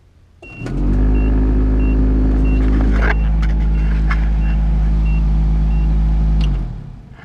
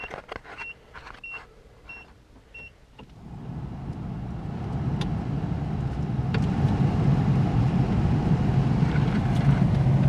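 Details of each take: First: Nissan D21 pickup heater blower with AC on, cowl trim missing: blower spins up to a loud, rough, fluttery roar with rattles, then winds down; leaves and acorn debris likely in the squirrel cage. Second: Project D21 heater blower after cleaning leaves and acorn debris from squirrel cage, cowl trim missing; fan spins up to steady even whoosh without rattle, sounds much better and blows out vents better. Normal blower operation.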